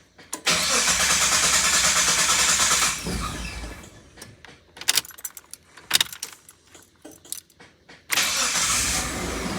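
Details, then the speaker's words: Mitsubishi Delica 4x4 van bought cheap for oil leaks, air-con off, with an unidentified clicking noted just before start. The engine cranks, catches, roars up briefly, then settles and keeps running; a split worn throttle-body coolant hose was found afterward. Engine starting and running. "Yeah! Lives. It works. It sounds like a Delica."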